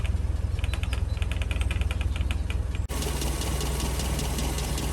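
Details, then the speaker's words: 1970–71 Land Rover Series IIA 88in petrol, 2.25 8:1-compression three-bearing engine, likely original, with unleaded conversion: starts sweetly and settles into an even, steady idle with no knocks or misses. Healthy. "here we have the little 2.25 8-1 compression ratio three bearing engine which i think is the original certainly it's period correct for the carburetor so it's running really really nicely"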